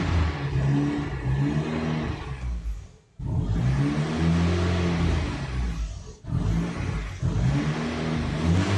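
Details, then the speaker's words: Turbo engine swap into a Ford, still a bit smoky: it revs under throttle, then sags almost to a stall whenever the pedal is released; it has zero idle and the cause is unknown. "so it has absolutely zero Idol and like I said I have no re reason to understand why that is but otherwise it does run okay it doesn't run well yet just yet"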